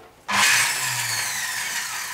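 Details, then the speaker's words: Electric servo drive motor for a sewing machine, left plugged in overnight. It spins up into a harsh, high rough whir with a low hum and keeps thumping, then stops working; considered dead and unsafe, cause unclear. "Ну, короче, звук вот такой вот, он молотит и молотит, молотит и молотит."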